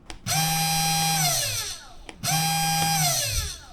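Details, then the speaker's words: SainSmart Genmitsu 3018-PROVer V2 CNC router spindle motor, unloaded. Two short runs of a clean, steady high whine that spins up, holds and winds down smoothly. Normal spindle run. "n't like this.Ah , it's really smooth.It looks great."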